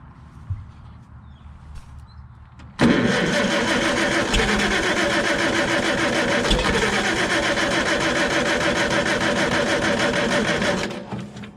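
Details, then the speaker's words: Farmall Super C tractor with points ignition and a no-start: starter churns the engine steadily for eight seconds without catching; no voltage fluctuation at the coil negative while cranking, so the points are probably stuck closed or the circuit is shorted closed. "and we see we don't really have any fluctuation there which tells me that the points are stuck closed probably or there's something that's shorted closed on that circuit"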